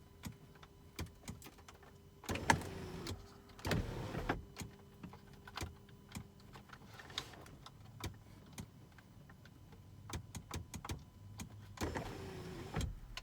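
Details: Mercedes W211 panoramic sunroof motor tested after repair (washer added over the bolt on the motor drive) that fixed grinding when closing: steady low hum with light clicks, no grinding or buzzing, roof runs smoothly.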